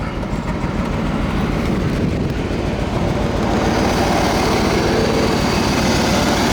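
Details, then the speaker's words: 1992 C4 Corvette LT1 V8, 300 hp, with 96,430 miles, a removed engine for sale: a strong, even, low idle rumble with a steady beat and no ticking or knocking. The engine is in great shape with no leaks. "This is the 300 horsepower LT1 engine. This engine's in great shape with no leaks or ticks or knocking."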